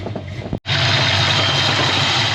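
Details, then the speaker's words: 1988 Ford Mustang LX Fox body, 306 stroker, stone cold (coolant temp under 130°F, ambient in the 40s °F, probably no thermostat) idling smoothly with no stumble or hunting right after a bad engine coolant temp sensor was replaced and the TPS set; it previously ran rich cold and needed constant throttle. "so it's still ice cold and it's sitting here just idling Perfectly"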